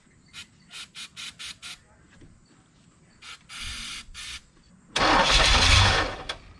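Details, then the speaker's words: 1985 Chevrolet Corvette, parked 20 years, supposedly 24,000 miles, another squirt of starting fluid with no mass airflow sensor hooked up: short sputtering catches, then a couple of clean revs that die off. Fires readily and sounds quiet and healthy; fuel pump/tank still pending. "So I think we can start tackling taking the fuel pump out, or the whole fuel tank and she sounded pretty quiet as far as her first little blips to life."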